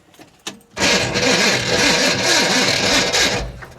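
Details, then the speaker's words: 1966 Impala SS, parked over 10 years, fresh battery, gas poured in carburetor: loud, harsh, raspy, grinding crank with an uneven beat for about three seconds, no start. Owner suspects the starter or an electrical problem. "come on girl yeah I think that starters either the starter's having problems or we got an electrical problem"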